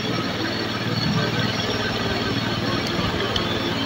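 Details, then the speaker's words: Honda Beat carburetor scooter with excessive fuel consumption, before repair: idle too high and swinging up and down; mechanic judges it running rich, causes include a possibly torn ACV membrane. "ya Terus kalau kita dengar dari suaranya saja ini kayaknya memang benar ini memang benar boros ini ya karena RPM ini kayak ngayun-ngayun ya gak mau"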